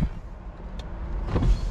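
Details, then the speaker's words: BMW E93 335i convertible, DCT donor car, hardtop closing and windows going up: low steady motor hum with a soft clunk as the roof seats; runs smoothly. Normal convertible roof operation. "hey there we go and that mechanism is very nice can engineer there we go i think oh yeah the windows go up damn all right the roof works"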